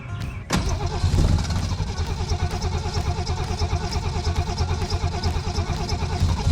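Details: 1961 Mercury Comet, 170 cu in straight six, revived after sitting 37 years with a seized engine: catches and settles into steady, slightly lumpy idle with even firing, no knocking; running normally.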